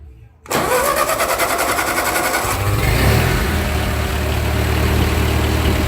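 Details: 1945 Ford 2N loader tractor after rewiring, restarted after it quit, possibly out of gas: short silence, then it catches at once into a steady even beat; charge light slowly goes off, alternator possibly weak; clean normal restart.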